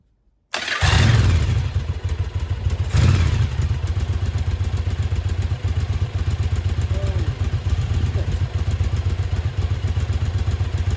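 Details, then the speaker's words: Yamaha Virago 1000 after restoration, with a new starter and new intake and exhaust gaskets, first start in about a year: catches after a short crank, blips twice, then settles into an even twin-cylinder idle with no misses or knocks. "So there you have it. It's running. I'm really, really, really happy it's been about a year since it was running and to hear it start up again and to be running so well feels pretty good."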